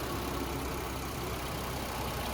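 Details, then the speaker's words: 2018 Mitsubishi Eclipse Cross Exceed 1.5 L turbo idling warm in Cairns heat, AC running, bonnet open: steady, even idle, a little quieter now, no knocks, rattles or squeals over the smooth hum. Healthy. "She's running a little bit quieter now, just had that AC pumping. Still nice and warm here in Cairns, but as we listen to it, no major knocks, rattles or squeals. Just that little 1.5 litre turbo ticking over nicely."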